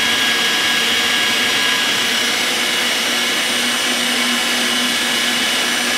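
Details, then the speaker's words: Electric meat grinder stuffing pork bratwurst: steady high motor whine with faint strained hum as it labours; not coming through well because the fatty pork has loaded up the blade, cleared by briefly running in reverse. "Hang on a second. I'm gonna shut it down a second. It's not coming through as good as we want it."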